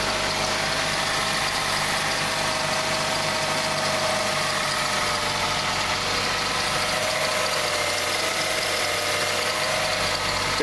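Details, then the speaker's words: 2006 Ford Fusion at idle: a thin, steady squeal rides over an even idle without changing pitch; owner suspects a drive idler and hopes it is not the water pump. Finding: accessory belt squeak, unconfirmed. "The only thing is I hear something over here squinching like a drive idler or something going up there. I hope it's not the water pump making [Applause] noise."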